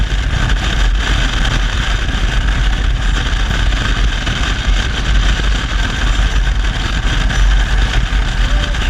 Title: Horrible rattling noise